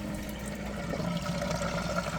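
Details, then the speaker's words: Automatic boat bilge pump under a sink, about a year and a half in near-daily use, kicks on with a faint steady hum under gurgling water, draining into the washer-dryer drain normally. "Draining right into the washer dryer drain."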